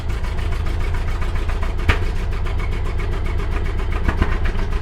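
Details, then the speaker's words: Stock 1929 Ford Model A coupe, 40 hp four-cylinder, long-sat, first start on old gas with choke and hand throttle after sanding the plug wire straps: lumpy uneven beat with sharp pops, smoking; misfiring and backfiring. "I'm backing off the hand throttle. It's smoking a little. WOW, IT RAN. IT BLEW SMOKE. It made noise."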